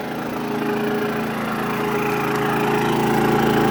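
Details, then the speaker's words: Travel trailer air conditioner, fan on automatic and high, drawing 17.4 amps from a new Harbor Freight inverter generator, recorded inside the trailer; steady, even whir with constant low hum and airflow hiss, no rattles or surging, running normally. "The fan is set to automatic and it's on high. You can hear that. You can hear I'm talking loud. Blowing nice cold air, real nice cold air."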